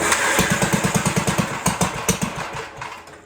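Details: 1958 Gravely Model L single-cylinder, revived after sitting a year or more, throttle reconnected, holed muffler: fairly even pops about three a second before fading off; runs decently, kill switch faulty.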